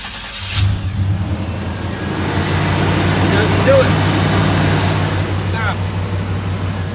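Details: 1989 Chevy K1500 Silverado, restarted: the engine catches and settles into a steady, even idle with no tapping, so the starter pinion clears the flywheel; the owner suspects heat expansion stops the contact the noise shows on cold mornings.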